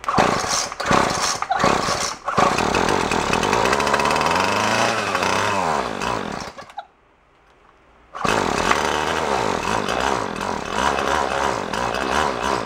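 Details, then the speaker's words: Craftsman two-stroke straight-shaft string trimmer, roadside find, started on choke after priming: buzzes and surges, drops out, catches again with uneven revs, then dies after seconds; owner suspects tampered carburetor mixture screws. "let's see if she'll kick first us on run choke is up his choke is is on"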